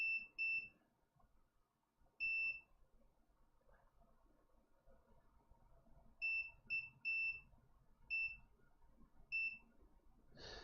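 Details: Water-damaged iPhone 6 Plus dropped in toilet, multimeter continuity test on logic board. Short clean beeps each time the probe touches the main supply line, showing it is still shorted to ground.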